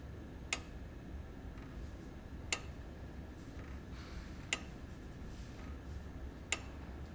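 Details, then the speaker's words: Daniel Delander month-going equation longcase clock, circa 1710–1715, with duplex escapement: sharp, gentle ticks every two seconds, evenly spaced over quiet room hum; normal duplex ticking. "so you can hear the pendulum ticking away and the ticks are every two seconds"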